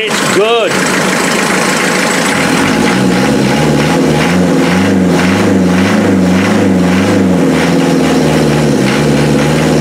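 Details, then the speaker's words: Land Rover Defender 2.5 naturally aspirated diesel on first start after fitting new injectors: cranks and catches at once, then settles into an even clatter with a steady beat and no misfire; the manifold is evenly hot. Healthy diesel idle. "nice nice function turn it off the manifold is nice and evenly hot those injectors are firing perfectly"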